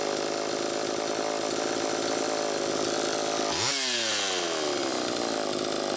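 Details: Homelite Super EZ chainsaw test run after carburettor repair, high needle reset from about four turns out to one turn: high buzzy scream that surges then drops sharply in pitch; lean, crankshaft seal suspected bad.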